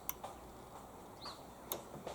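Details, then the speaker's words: Hyundai HYM530SPE lawnmower after adjusting the operator presence control: the engine-brake safety switch gives crisp, paired clicks as the bail is pulled and released. The switch is working correctly. "so when I pull on the OPC you'll probably hear the switch click yeah we can hear it clicking"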